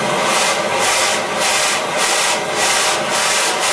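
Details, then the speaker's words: Oxy-acetylene cutting torch on 3/8" steel, neutral preheat flames set, cutting lever pressed: loud steady rushing hiss with slight pulsing; cutting oxygen blast flowing strongly and normally. "That's when I'm giving it the oxygen blast."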